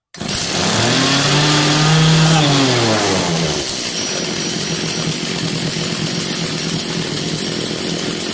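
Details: Echo CS330T top-handle two-stroke chainsaw, started at high idle with choke linkage pulled halfway: fires at once, revs swell then ease back, settling into a steady, even high idle; healthy engine.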